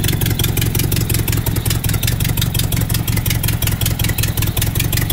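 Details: Nissan S12 with turbo CA18DET four after idle rework: an even, steady beat at idle and on revs, with no knocks or misses. Normal, healthy running.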